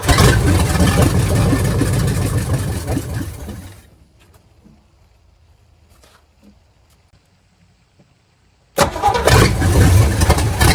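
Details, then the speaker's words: Old engine being preserved, test-run on a can of gas with the coil hooked up. It cranks very fast and fires right up with no smoke or knocking, running with a rough, loud roar and a screech of unclear source. "It cranks real fast. Well, it runs, but it screeches. So, you know, I don't really know."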